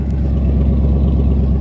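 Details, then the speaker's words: 1977 AMC Matador sedan, 360 (5.9 L) V8, idling with no muffler fitted: loud, deep rumbling idle with raw, unmuffled exhaust pulses thumping steadily. Smoke seen from the middle of the engine. "there's no muffler on it so it sounds quite frankly i like how it sounds i think it sounds pretty damn awesome"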